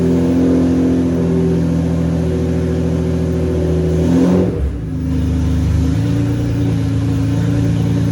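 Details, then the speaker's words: BMW E36 with swapped S54 engine, first start, exhaust not fully built; even smooth drone with a brief rev blip settling back, no ticking or rattles, VANOS sounds great; healthy running. "Holy shit, guys, it fucking runs right now. I am so stoked right now. Everything's running really good. It sounds smooth, no ticking. Vano sounds great."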